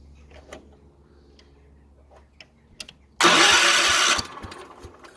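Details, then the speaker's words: 1970s Wheel Horse C121 8-speed mini tractor with Kohler single, points ignition: quiet electric fuel pump buzz and clicks while cranking, then a loud burst as it fires and settles into uneven sputters; engine catching and starting. "Ooh, sounds like it's going to go."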